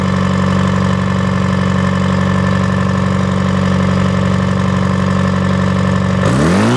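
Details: Detroit diesel that sat a long time, fuel air bled, just started and warming: steady, even low idle with a smooth firing beat, no knocks or misses, brief rev at the end; oil pressure up, no smoke, belts loose; normal idle.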